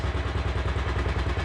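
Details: Single-cylinder motorcycle idling after first-time valve adjustment, clearance possibly still a fraction high, following a flooded kick start: even thump at roughly ten beats a second with no loud tapping; valvetrain sounds healthy.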